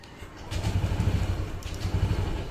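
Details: New Honda PCX 160 scooter before break-in, with fuel in the tank: cranking turns into a few uneven low pops that never settle into an idle; it catches briefly but will not keep running or idle, cause not confirmed.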